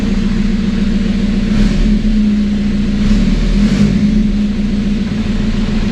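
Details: TDI diesel swapped into Toyota Tacoma, first start after engine and wiring work, no coolant in it: steady idle with even clatter and constant low hum, no knocks or misses; sounds healthy.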